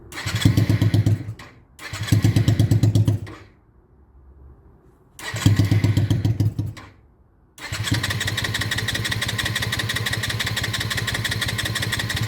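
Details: Honda Shadow restoration, after carb float work, air intakes left open: fires and runs a second then dies twice, third try holds steady idle. Also cuts out on throttle; owner suspects too much fuel or too much air.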